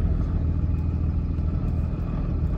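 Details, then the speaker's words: Diesel truck with G56 manual transmission and Valair HD organic single-disc clutch, idling and lugging forward in second gear: a low rumble with a loose, uneven rattle of gear rollover noise that fades with throttle and is gone by about 1300 rpm. "you can hear it sort of have a little bit of rollover noise coming past my guys here trying to oversee this uh project here but as soon as you put on the throttle basically goes away"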